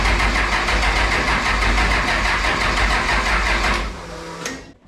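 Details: Second-gen Cummins 12V triple-turbo diesel truck, first start after a head gasket swap (Felpro) and bleeding air: fires right up into a steady, even clatter for several seconds, then shuts off, no misses or knocks. A normal start.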